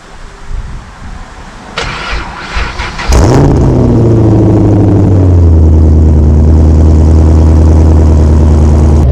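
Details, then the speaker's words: Dodge Neon ACR (NYG car) cold start, before header, exhaust and fuel tank upgrades: short crank catches cleanly, revs flare then settle into smooth, even fast idle; normal cold start. "Don't know about you guys, but it definitely sounds good."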